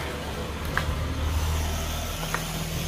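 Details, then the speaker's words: 2015 Ford Ecosport, engine idling: constant low electric drone as the ABS pump motor runs nonstop; pump shorted after a high-voltage event, needs servicing or replacement. "ya terdengar di sini suaranya pompa ABS nyala terus"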